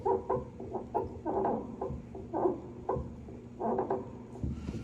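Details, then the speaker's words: Mason & Hamlin grand piano, sustain pedal pressed down; short mid-pitched clucking squeaks with each press, source (pedal box or elsewhere) still being diagnosed. "sure you can hear that squeak in the pedal when you push it down, so the first thing you have to do is, we're going to do is diagnose where the pedal the squeak is coming from because there's a number of different places that that can come from."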